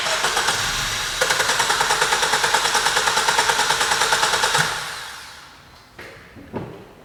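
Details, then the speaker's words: 2017 Suzuki Swift towed in as a crank no start: starter spins the engine with a quick, even chug for several seconds but it never catches. "as you've seen the customer was definitely not lying this was or is a crank no start"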